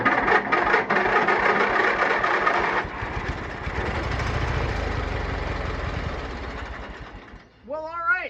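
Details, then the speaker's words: Free abandoned lawn mower given starting fluid down the intake and the solenoid jumped because of a key problem: cranks, catches and runs unevenly for a few seconds, then fades out. It runs only on starting fluid. "now we know it's going to run I just need to figure out the issue with my um key"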